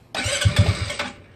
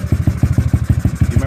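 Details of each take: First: GY6 scooter after handlebar controller setup, cranking; about a second of uneven starter cranking with low thumps, never catches, won't start; owner suspects a poor connector contact, unconfirmed. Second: GY6 scooter after handlebar controller setup, running on manual choke; small single putts along in quick even low pulses about six a second, keeps firing, sounds healthy.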